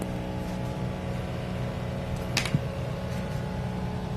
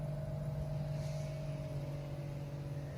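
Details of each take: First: DC inverter AC outdoor unit in heating mode, customer complaint: steady low droning hum with coarse buzzy vibration underneath; outdoor unit vibrating from improper mounting. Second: DC inverter AC outdoor unit in heating mode after fixing vibration from improper installation by adding rubber under it: steady low hum with constant mid tone, no rattling or buzzing; running normally.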